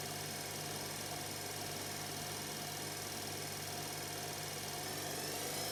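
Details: Electra ELEC1647A3 washing machine motor dying, ~10 wash cycles after new carbon brushes: steady hum with thin high whine climbing near end; damaged worn commutator failing, needs new motor.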